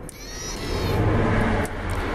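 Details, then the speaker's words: Yamaha DT125R dirt bike with a new battery and plug, switched on. A brief whirring sweep, then quiet as the exhaust power valve servo cycles and sets itself; normal power valve self-setting. The bike starts and runs fine. "that's the exhaust valve power valve set in itself so so that's that's what working now everything's fine starts runs lovely"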